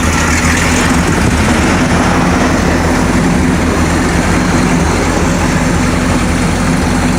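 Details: Freshly built Mercruiser 454 MK IV marine V8 with cam already broken in, run briefly on the hard with the muffling attachment fitted: deep, even burble at steady idle, no ticking, knocking or misfire; healthy.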